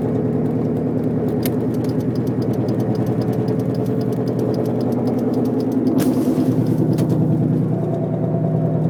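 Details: Car driving, noise began the day after wheel bearings were replaced: rough pulsing drone with grinding whine tied to road speed, louder when accelerating, vibrates the car, silent when braking to a stop; rotating part suspected rubbing or worn.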